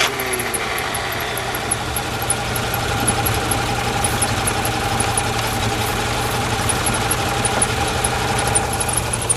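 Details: Hyundai cold start with fuel misted into the intake while cranking: engine catches and settles into a fast, slightly uneven idle only after extra fuel, pointing to lean running when cold; cause suspected, not confirmed.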